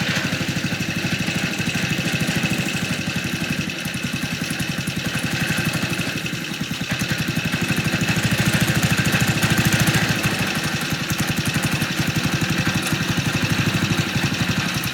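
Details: MTD walk-behind leaf blower/vacuum, small single-cylinder engine run after sitting about three years: uneven chugging with loose shaking rattle over the firing, engine held only by loose mount bolts.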